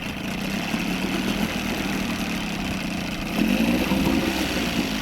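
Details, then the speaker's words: Outboard motor, in forward gear, idles down and up cleanly with no hesitation but only with the choke on; choke off it dies. Mixture screw set fairly lean; owner suspects carburetor or gasket needs replacing. Runs only on choke, pointing to lean fuel supply. "She runs great with the choke on, with the thing, you know, set pretty lean. Maybe not that lean. She does great with the choke on. Take choke off, and it just dies."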